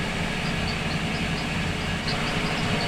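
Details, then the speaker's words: Boat engine at about 1,500 rpm, fast idle after electric fuel pump replacement: a thin high chirp repeats about four times a second, identified as one of the pulleys squeaking. Exact pulley not confirmed. "That's a pulley. One of the pulleys. The squeaking? Yeah."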